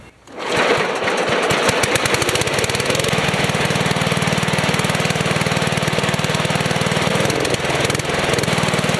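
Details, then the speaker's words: Small engine after rebuild with new carburetor O-ring: catches quickly and runs steady and even; after adjustment it revs on a quick throttle tap instead of dying. "so now as you just saw there I just adjusted it to where it will rev up if you just quickly like just quickly tap it"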